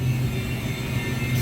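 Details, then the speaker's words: York YK water-cooled centrifugal chiller near stall: heavy low rumble with an uneven, surging roar. Cooling tower fans are not ramping up fast enough, so the condenser water is getting hot; pump cycling is also suspected to contribute. "So you can hear about trying to stall. That's one of our issues here."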